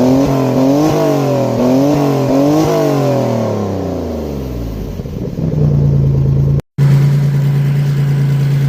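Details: Maserati Biturbo with a new custom 2.5-inch exhaust, only tack welded, first start: loud raspy engine note through several quick revs, then a rough, blatty idle; leaking exhaust joints make most of the noise.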